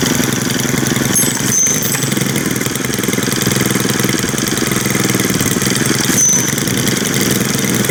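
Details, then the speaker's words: New Stihl string trimmer, two-stroke, after raising the idle speed: quick, even buzzing idle that holds steady with no stumbles or surging. "That sounds better."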